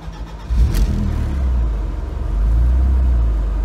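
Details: BMW E36 318is after replacing a failed plastic cooling-system heater connector: short crank catches at once into a deep, even rumble with no stumble or misfire; clean, healthy start.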